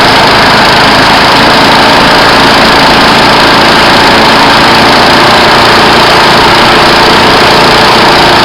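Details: Yard Pro mower that was not getting fuel, after carburetor diaphragm replacement and priming: loud constant engine drone holding steady speed without stumbles or misses; running normally.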